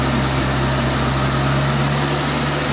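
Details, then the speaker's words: 1984 Toyota Tercel 4WD, warmed up, carbureted, idling around 2,000 rpm after cracked vacuum lines were replaced: steady fast idle with constant low hum; spraying the thermostatic vacuum switch changes idle, owner suspects the switch is stuck or bad and plans to replace it. "definitely feels like it changes idle so i don't know maybe this thing's just stuck or bad"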